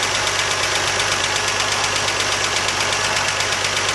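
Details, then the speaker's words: 1979 Jeep CJ-5, ex-orchard utility vehicle, first run after sitting as a non-runner, throttle no longer held wide open; sharp regular ticking over a rough idle, suspected exhaust leak at the header, not confirmed. "Doesn't sound bad at all. So the exhaust leaks right here, or is that a kicking?"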